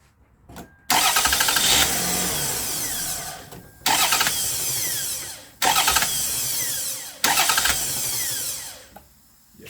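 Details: 2002 Toyota Solara SLE after starter replacement: four quick starts, each with a loud rushing hiss as the engine catches; owner suspects brake booster; air leak at start-up suspected, not confirmed.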